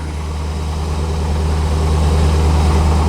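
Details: 1985 Chevrolet Corvette C4 V8 at 14 degrees, just revived after a no-start traced to a poor negative battery cable connection: steady even low rumble with regular pulse, no knocks or ticks; oil and coolant temps low, normal cold idle.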